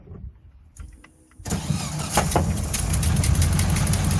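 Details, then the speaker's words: 1968 VW Bus air-cooled engine, revived after years of storage and a rear engine fire, new wiring, plugs, points and condenser, first-try start: short crank then a steady, throaty idle with an even beat and no knocking; idling nicely. "dude it's idling nicely"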